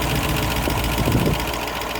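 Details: 1972 Range Rover A-suffix: fast, even ticking over the idle, quick as a sewing machine, from the rocker gear; owner attributes it to noisy hydraulic tappets; tappet tick.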